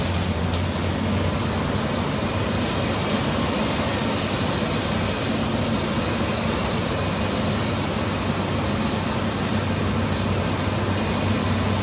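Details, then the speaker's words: Ford 4.0 engine first start after engine repair, missing coil pack wire reconnected: steady even idle with no misses or knocks; running all right, radiator possibly leaking slightly. "And for the most part, it's running all right."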